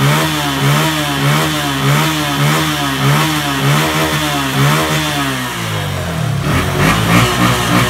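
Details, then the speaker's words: Honda Verza single-cylinder after repair of a scored piston, replacing gaskets and oil seals: blips up and settles steadily, fairly smooth like original, no knock; slight tik-tik ticking attributed to the injector remains. "Ini hasilnya untuk motor verzanya mesin lumayan halus cukup halus bagi saya seperti bawaan motor aslinya ya"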